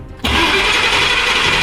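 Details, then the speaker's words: Car cranking but not starting, no rpm needle movement, no spark found, key cycled to listen for fuel pump: steady loud starter whirr, engine never catches, no pump hum; no fuel and no fuel pump, computer found disconnected. "Eso es, este, un truquito, va, poner la llave y se activa la bomba. Pones la oreja y aquí es más fácil darte cuenta si está jalando o no está jalando, va."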